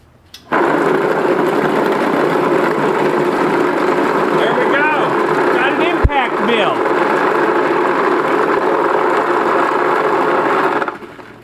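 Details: Harbor Freight vibratory tumbler turned impact mill with 40 one-inch steel ball bearings grinding incinerated IC chips, lid on: dense, even rattle of churning balls at constant level, no knocks or stalls; running normally.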